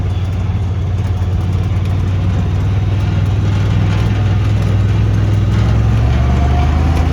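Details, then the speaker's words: Honda Talon after a repair for sudden rough running, ridden in cold rain: a deep, steady drone under load with no misfire or popping. It pulls smoothly, much better than before. "that's already a lot better right there it used to barely pick up whenever you would start it"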